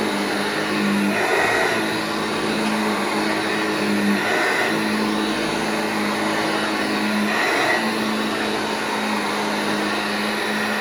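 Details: Vintage Hoover Junior 1334 vacuum cleaner after full restoration, running in a room: steady motor hum with clean high whir, no rattle, scrape or speed wobble; motor healthy.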